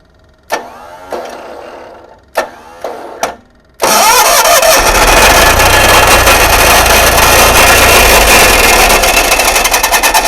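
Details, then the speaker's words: GMC motorhome generator started with a jumper wire to the coil after fuel pump priming: starter clicks, engine fires, but a harsh gritty starter whir continues over it; starter hung engaged, possibly linked to circuit board fault. "basically what happened is the engine started and the starter kept engaging"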